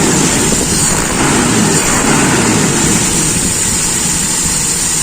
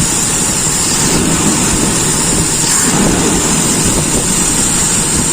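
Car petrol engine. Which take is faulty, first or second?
first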